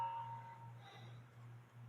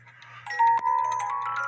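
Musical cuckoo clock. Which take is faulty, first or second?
first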